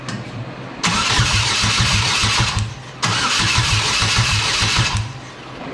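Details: Exomotive Exocet with a GM Ecotec engine swap, first start attempt after a fuel pump wire fix: two long bursts of even starter cranking but it never catches. Crank no start, cause not confirmed.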